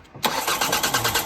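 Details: Diesel cranking with no start after waiting for the heater; fuel pump and line bubble being checked. The starter turns it over with even thumps about six a second, but it never fires or picks up speed. Easy Start was wanted; cause unconfirmed.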